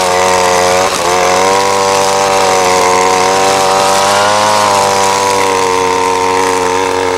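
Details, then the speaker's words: Ryobi SS30 30cc two-stroke trimmer after a carburetor adjustment: a steady, high-revving buzz that holds speed without bogging or stalling; running healthy. "trimmers running great just a little bit of tweaking has definitely helped and it's probably not exactly fine-tuned but uh you know it's running great as far as I'm concerned here it's just not bogging down it's not stalling out"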